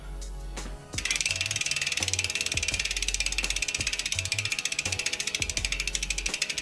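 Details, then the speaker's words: 2010 Specialized Stumpjumper FSR rear wheel spun after fitting Shimano B01S resin pads in MT200 caliper and centring caliper on rotor: quick, even freehub ticking, no scraping or hiss; no brake rub, normal. "Sounds good. No rub and brake. Boom."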